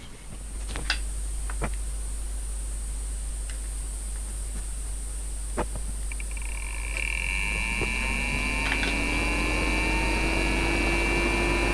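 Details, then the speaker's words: Riden RD6012 power supply modified with a temperature-controlled cooling fan, microphone at the fan, thermistor heated with soldering iron: quiet, then the fan spins up with a rising whine settling into a smooth, even hum; working as intended. "so as you can hear the fan starts up once the thermistor warms up i'll put the microphone back and you'll hear the fan stop once it cools down again"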